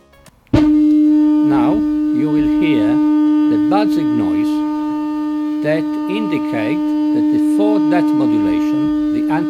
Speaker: if you hear some buzzing mean that you have to adjust your antis scarting plus or minus until this buzzing disappear